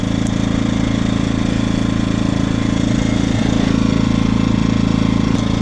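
Steady, even engine beat around three and a half firings per second with no hunting or misses under a light electrical load; healthy.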